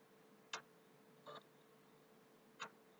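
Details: PS3 console booting very slowly despite a formatted hard drive; faint sharp single ticks at irregular intervals near the HDD over a quiet hum, sometimes stopping then returning; intermittent clicking, cause unknown.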